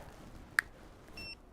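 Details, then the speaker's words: Golf wristband sensor with a magnet attached gives one short high beep, then a brief steadier tone, warning that the wrist has moved into dorsiflexion (extension). "okay you should be able to hear a little beep in there okay so what that's what's happening is if my wrist moves into what we call the technical term is dorsiflexion"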